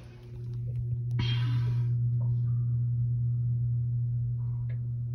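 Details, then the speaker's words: Water pump with pressure tank (diaphragm tested OK) refired after being put back on; kicks on with a click and settles into a steady low hum, no chatter or cycling; normal running. "And that's what it sounds like when I fire it back up."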